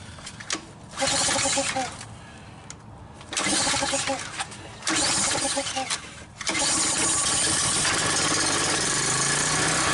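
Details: Troy-Bilt pressure washer with an 875/887-series ReadyStart engine, slightly flooded from carburetor cleaner, with hose and wand hooked up. Several short cranking bursts, then it catches and runs steady under the wand's spray hiss; runs normally.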